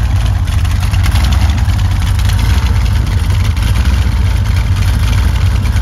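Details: Freshly rebuilt 355 Chevy small-block V8 with Summit 1105 cam, ProMaxx heads, Weiand intake, forged pistons and slip-on mufflers that leak a little: loud, steady idle with a slightly choppy cam rumble and an even beat; running fine.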